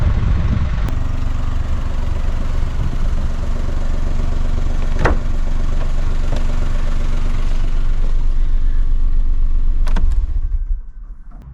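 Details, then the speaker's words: 2008 Smart Fortwo Pure 451 71 bhp after refitting the silencer/catalytic converter with a newly welded bracket replacing the rusted-off mounting: even, steady idle for about ten seconds, then switched off; no exhaust blowing, vibration or knocking. The knock was the silencer rattling against the rear suspension arm. "everything is sounding really great no blowing from the exhaust no vibration in fact the knocking noise that was audible from the inside has gone"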